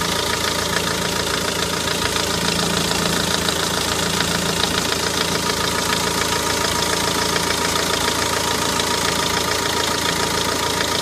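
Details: Renault Megane 1.9 dCi after replacing damper pulley, tensioner and belt to cure a squeak: steady diesel idle with even, light clatter and no squeal or chirp from the belt drive.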